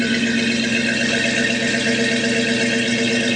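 Smooth, even V8 burble with a steady pitch and no misses or shaking, an engine idling cleanly just after start.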